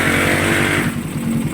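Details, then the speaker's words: Motorcycle, complaint of a ticking engine (fake parts warned against), after repair: a steady, even single-cylinder beat with no top-end ticking; the clutch still has a problem; normal idle. "okay na ang motor ni sir. Wala na yung ingay sir, wala na."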